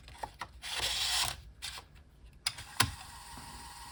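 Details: 5.25" floppy drive on GreaseWeazle v4 after supplying missing 12 V: quick bursts of stepper clicks and brief buzz as the head seeks, then quiet steady spinning; reading normally.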